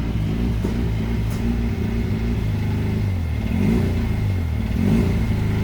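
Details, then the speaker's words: Rotary engine, out of gear, idling on a new tune while self-learning: holds steady for a while, then revs rise and fall in slow surges; idle hunting, engine seems not to accept this tune. "It doesn't seem to like that tune very much. holds okay for a while, then it starts hunting."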